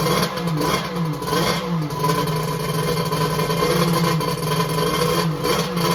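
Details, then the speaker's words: X2 two-stroke that had been hard to start, restarted right up: rough wavering note rising and falling with throttle, keeps running without misses; later hot, about 150°F front cylinder, 186°F head; starting fault not fully solved. "i'm gonna see if i can get it going again and run it for a few minutes [Music] [Music] okay it started right up"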